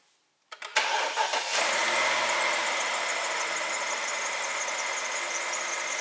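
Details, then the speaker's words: 2006 BMW 750 N62, check engine light, MAF and fuel trim codes, first cold start: cranks, catches, settles to uneven lumpy rough idle; faulty mass airflow sensor suspected, being scoped. "I'll show you how the car runs when you first start it it's it is a rough idle"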